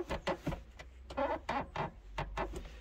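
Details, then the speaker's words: Toyota Yaris gear lever engaged into first and second: short high squeaks in bursts as the lever moves through the gates, from dry parts under the leather gear lever boot; fixed with WD40. "I'm gonna engage the first and second gear can you hear this annoying noise this squeak"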